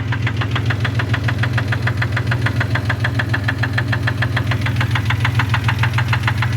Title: is this a rod knock ?